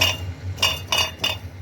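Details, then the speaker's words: Lifan X60 metallic rattle from under the car, first suspected as heat shield: sharp clinks with each knock on the pipe where the second catalyst was knocked out, leftover ceramic chunk loose inside exhaust; loose catalyst debris. "где стоял 2 катализатор у меня видимо я на стенках наверное все таки осталось какие-то керамика осталось и вот временем я же сам выбивал катализаторы и со временем видимо этот кусок отвалился и вот теперь теперь он грохочет"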